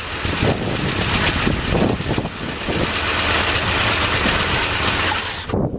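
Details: 1989 Jeep Grand Wagoneer 5.9 V8, carbureted, first run after sitting outside almost 20 years, oil pressure up: uneven lumpy idle with a loud hiss; owner suspects vacuum leaks.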